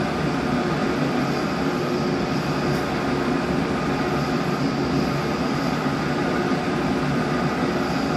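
A steady, even mechanical whir and hum with no clear knock or rhythm; it sounds off, but the cause isn't apparent.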